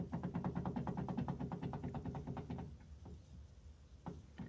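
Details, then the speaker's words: DeLorean rear wheel bearing checked with the caliper removed: rocking the hub gives quick hollow clunks and scattered knocks where there should be zero play, showing a badly worn, loose rear wheel bearing. "really hard to show in the camera but you can hear it moving around like crazy"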